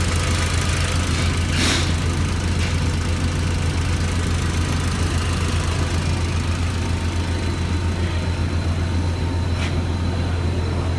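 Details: 2004 VW Golf 2.0 L had a crank-no-start: a shorted ignition coil was blowing the ECM power-supply fuse. Recorded after the coil was replaced and the fuse no longer blows. A low, steady idle hum with an even beat, no misses or knocks. Normal idle.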